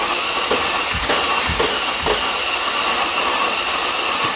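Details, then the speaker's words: 2005 Mercedes CL65 AMG twin-turbo V12, third crank after a 50-hour engine rebuild with a brand-new tensioner, fuse pulled to prime oiling: the starter whirs steadily with even compression thumps about twice a second and no firing, so cranking is normal. "okay so sounds pretty normal it cranks like normal"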